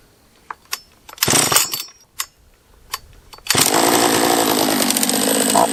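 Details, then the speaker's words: Husqvarna 44 chainsaw after a refurb, on its third heat cycle: a few pulls, then a raspy high run that bogs and won't take any throttle. Owner suspects a lower-end vacuum leak and is shutting it down to strip it. "uh if it's this to me is a lower end uh vacuum leak try one more time yeah it does not like any throttle"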